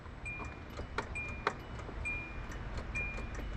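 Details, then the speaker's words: 2008 Kia Rio that does not crank: faint starter relay clicks under a warning chime when the key is turned, and the clock dims. Power reaches the relay and seems to stop at the starter solenoid. The starter was later replaced. "if you can hear the starter relay clicking. So, that means we're getting power from the ignition hopefully all the way to the starter solenoid or starter relay at least."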